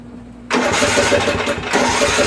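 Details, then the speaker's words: Craftsman rear-engine tractor, 13 hp Tecumseh OHV, valves just repaired after no compression: cranking turns into ragged uneven firing that almost catches then stumbles; hard start, owner suspects fuel issue, possibly float, unconfirmed. "definitely okay so that's a fuel issue right there you know it seems like it has fuel in it it's like it's almost running"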